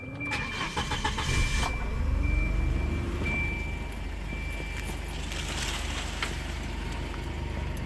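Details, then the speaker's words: 1994 Volvo 940, 100K miles, sat about 7 years, after fuel system cleaning, new timing belt, seals, water pump, tensioner, belts and thermostat: brief crank, catches at once, smooth even idle with no knocks or misses; still needs a fan relay. "running pretty nice I do need a fan relay for the electric fan"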